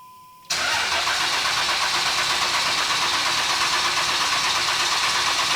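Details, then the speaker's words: 2003–2007 Cummins 24-valve common-rail diesel with a no-start: the starter cranks the engine at a steady, even rhythm for about five seconds but it never fires. The cause is not yet confirmed; the next step is pulling injectors one at a time to find the faulty one. "so right now we're just crank it over see if it fires and then we'll remove an injector and see what happens"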